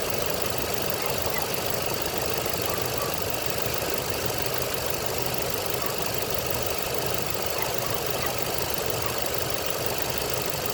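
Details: 2.9 Vortec, about 69,000 miles, idling: fast light lifter tick riding steadily over the engine note.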